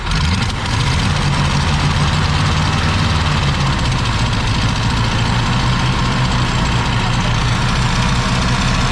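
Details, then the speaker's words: 1965 Ford Galaxie 500, started with choke partly closed: low heavy idle with uneven loping pulse and slight stumbles; not enough gas cycling through, carburetor (missing parts) needs rebuilding. "All right, y'all, we got it to idle. There's a lot more needs than that. You ain't getting enough gas cycling through there. Carburetor needs to be rebuilt."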